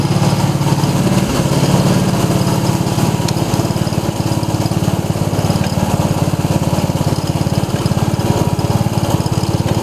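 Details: 1990 Craftsman riding mower, small single-cylinder engine, put back together after repair with oil seen on muffler: steady, even thumping at fast idle with no knocks or misses; normal running.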